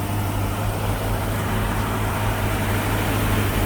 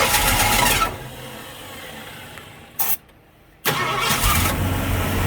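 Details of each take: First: 1965 Mustang V8 on 650 CFM Street Avenger carb, just restarted after a year, still warming up: steady, even raised idle with no misses; fast idle from warm-up, possibly a faulty electronic choke (suspected, not confirmed). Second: 1965 Mustang V8 first start in a year, after sitting three years, with a primed 650 CFM Street Avenger carb: several seconds of even cranking, a pause, then it catches and settles into a deep, steady, healthy idle.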